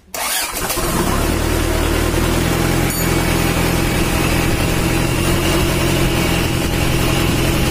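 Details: Mitsubishi Strada Triton 4D56T turbo diesel, rebuilt after overheating damage, after the injection pump was adjusted and the oil leak fixed: fires at once and settles into a steady low idle with even knocking pulses, oil pressure up; runs sound.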